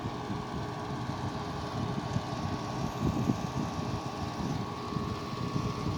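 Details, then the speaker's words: 2009 Haier 5,000 BTU window air conditioner, 12 years old, Rechi Precision compressor, on high cool at first season startup; steady even hum with smooth low rumble, no rattles or knocks, pressure sounds healthy; normal running. "well that scene is really quiet i guess it was uh it's quieter than i remember it sounds nice sounds good pressure sounds healthy"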